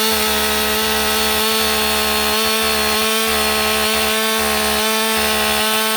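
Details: Husqvarna 562XP AutoTune chainsaw restarted warm, choke off, with the air filter severely restricted by duct tape to test AutoTune compensation: steady high buzzing run with a throbbing, uneven low pulse underneath.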